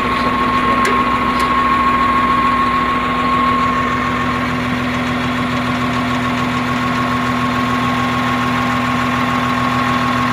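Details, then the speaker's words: CAT 950H shovel diesel with low power, error 36/1-5, the number one injector not working (wiring suspected); a lumpy idle with an uneven beat near three per second as one of six cylinders misses. "if the operator is not concerned about the engine power or power of the machine they ignore about that so there will come less power of the machine because one injector is not functioning"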